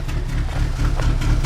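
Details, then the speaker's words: 2002 Nissan Altima (P0507) misfiring at idle after all four ignition coils and spark plugs were replaced: a deep, lumpy, shaking stumble with black smoke. Low compression in cylinder three or four is suspected, not confirmed. "then this time is becoming black shakes looks like there is not enough compression here in cylinder three or cylinder four"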